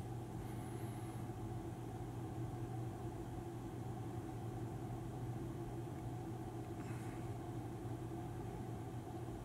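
Quiet, constant low hum with no pulsing, rattle or change in pitch; the ventilation fan is running smoothly and sounds normal.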